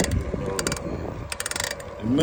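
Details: Specialized Sirrus X4.0 bicycle: rapid dry ratcheting clicks and rough grinding in bursts with each pedal stroke. Shop blamed the pedal, then the chain, and a replacement chain is coming. Owner suspects the crank or bearings; cause unknown.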